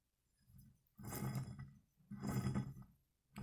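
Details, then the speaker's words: 2005 Volkswagen Jetta TDI wagon MK4, hub turned by hand; rough gravelly grumbling in bursts from a badly worn wheel bearing, which also moved the ABS ring and triggered ABS at stops. "if you can hear that that kind of grumbling sound that's the inside of the wheel bearing and it is definitely bad"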